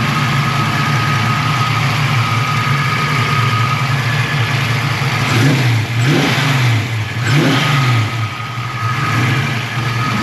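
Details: Foxbody Mustang, 347ci V8, about 400 rwhp, Holley Terminator X, after upgrading the 155lph fuel pump to at least 255lph: deep even idle with three clean blips rising and settling smoothly, no misses; healthy.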